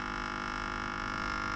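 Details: Probably Australian-made 12 V 8 A car battery charger (4.75 A continuous), on the bench: loud, steady electrical buzz with a strong low hum; output only about 4 V and dropping; overheating rectifier causing the hum.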